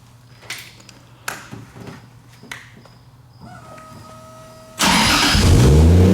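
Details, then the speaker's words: 2JZ-swapped Nissan 240SX: a few clicks, fires instantly and settles into a strong, even idle with deep exhaust; normal start. "Oh man! Listen to that exhaust."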